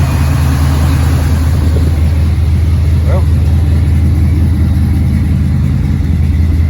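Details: 1986 Chevrolet C10 started cold after sitting about four months, cranking easily: steady, even low rumble with no knocks, misses or ticks. Normal idle.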